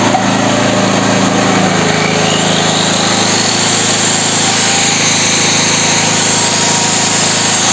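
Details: Petrol generator (claimed ~7 kW) that wouldn't start, dead battery, clean carburetor, after quick repair, running without load; steady, even drone with no misses, knocks or hunting, like clockwork: normal running.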